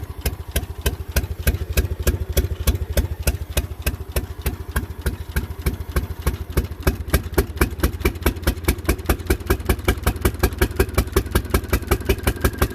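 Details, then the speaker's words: Small car: lumpy idle with sharp uneven pops and gaps between firing pulses, running on too few cylinders; the two center spark plugs were pulled and found fouled, and the plugs were all mismatched makes and models. "I pulled the plugs out and as I suspected both the center holes are fouled"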